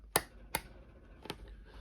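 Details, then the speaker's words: John Deere skid steer parking brake rocker switch AT405202, after repair (previously silent, no spring): three crisp, distinct clicks as the switch snaps through each position; detents working normally. "I think you fixed it that's how it's supposed to sound ladies and gentlemen it's supposed to click here to turn the parking brake on"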